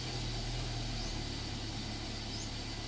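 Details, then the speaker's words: Toyota Altis after replacing the ignition coils and spark plugs, following a misfiring rough idle: steady, even idle with no misfire, in reverse with engine load and the air conditioning on. "na Ayos na mga kalab panatag ng andar reverse Ayan reverse may load ng makina nakaaircon"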